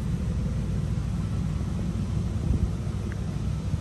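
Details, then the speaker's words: 1986 Oldsmobile Cutlass Supreme idling: low steady rumble with even pulse, no knocks or ticks; nice smooth healthy idle. "you can hear the nice smooth idle this car really sounds great"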